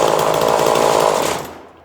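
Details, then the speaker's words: 2002 Husqvarna 136 chainsaw with new carburetor, warm after about 10 minutes of tuning at wide open throttle: high steady scream holds clean at full throttle then winds down smoothly; well tuned, normal. "Yeah, you should definitely wear earplugs. I think I got her real nice here now."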